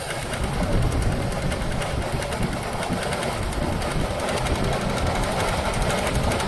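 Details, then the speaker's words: 1978 Chevy El Camino SS V8 started after sitting about 20 years: fast, light ticking over a rough, cold idle, keeping time with the engine; lifter noise on the other side, owner hopes it quiets as oil pressure builds. "little lifter noise on the other side we'll see if that comes down once the oil builds up"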